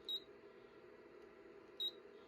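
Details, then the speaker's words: Anycubic Photon resin 3D printer: two short high beeps about 1.7 s apart repeat on their own as the Z-axis optical bottom limit sensor is triggered near the bottom during homing and leveling. "down on there, and the beeping means the optical sensor has been triggered, which means it is close to the bottom."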